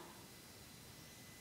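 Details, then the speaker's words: Old D1256 keypad powering up and warming up: a faint, steady hiss from its speaker with no rhythm or tone change. Owner guesses it is due to age, not confirmed; the keys light up. "It takes a little bit to warm up, and you may even hear a little noise coming out of the speaker."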